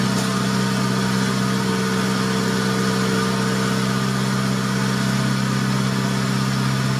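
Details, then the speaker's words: 1990 Honda Civic B20B, warmed up after fitting Crower cams and Skunk2 cam gears: low, choppy, lumpy idle with a faint background rub; cam gear bolts catching the valve cover, causing rough idle; valve cover also leaking oil. "three very small spin crews around the block warmed it up actually having a little low a little choppy I need to mess with it and see if I get to smooth out"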